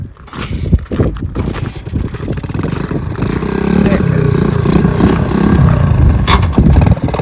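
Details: 1969 Honda CT90 Trail small single, revived after sitting about 10 years, intake tube changed for a one-year-only carburetor: uneven putter at first, settling into a steady, lumpy beat; running again.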